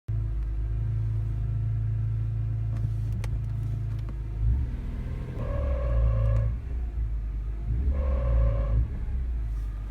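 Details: BMW E46 M3 with a 6-speed manual swap, E34 M5 clutch and UUC lightweight flywheel: a low engine rumble, then two separate mid-pitched moaning tones about a second each. An intermittent clutch-area noise, cause unclear.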